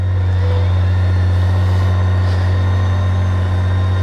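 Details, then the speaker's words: BMW K1600 electric reverse, in neutral: reverse button pressed, then starter button, so the starter drives the bike backward. Steady low droning hum with the engine turning evenly and odd gremlin-like noises; normal operation. "Actuate the reverse button, and you hear all the weird little gumblings and gremlins going on. Then you push the starter button."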